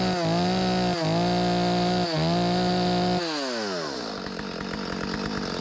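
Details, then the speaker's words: Stihl 025 chainsaw (possibly 16-inch bar) after carburetor replacement fixing hot no-start flooding: strong two-stroke buzz blips three times, then drops to a slightly uneven idle; it runs fine and needs only a slight carb tweak. "My bad boy ready. Need to be adjusted a little bit. I can hear it. It got a little bit more in it than that. ain't gonna win no contest, but pretty good."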